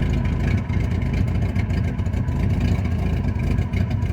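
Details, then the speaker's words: Carbureted engine just started, loud lumpy idle with an uneven loping beat like a big cam; strong gas smell, running very rich, carburetor mixture to be adjusted. "I'm getting a lot of gas smell. It smells like it's running very rich."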